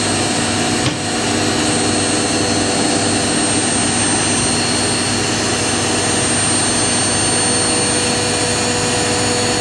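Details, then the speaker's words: Indesit IWC71452 1400 rpm washing machine, free, ramping up in final spin from 800 toward 1400 rpm: steady high whirring hum, smooth even drone, no knocking or scraping; normal high-speed spin. "Machine's wrapping up from 800 now. I think it follows the same programming as the integrated I had."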